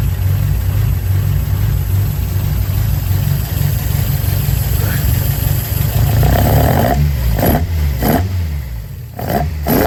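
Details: Toyota AE86 with individual throttle bodies and a cat-back exhaust, running for the first time in a decade: a strong, even idle with crisp throttle blips that rise and settle cleanly, intake roar on each rev; it runs healthy.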